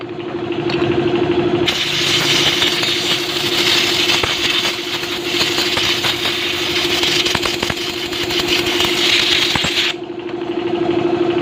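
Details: Rusi Fashion 125 scooter: steady, even idle with a light mechanical patter and no belt slap or squeal; the drive runs quiet.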